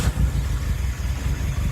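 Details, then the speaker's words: Suzuki Swift GTI running after a fuel injector signal wire fix: deep, uneven low idle that surges and lopes beat by beat; aggressive cams with no tuning give the choppy idle. "can you hear it can hear so it still needs some journey still needs a little bit a little bit of work because it's got lumpy cams and no tuning for it"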